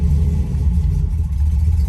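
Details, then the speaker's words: First start of a 4.1L stroker Nissan Maxima on E85 with JWT cams, ported heads and a Holley Hi-Ram intake: free revs with a deep, even rumble rising and falling cleanly, no knocks or misses. Normal revving. "That thing sounds pretty good, guys."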